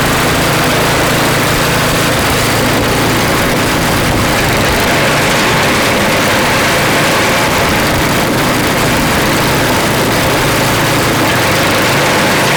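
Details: Craftsman snow blower (customer's) after cleaning and reassembly with a replaced seat: small single-cylinder engine holds a steady, even run with no misses or surging; the engine sounds healthy.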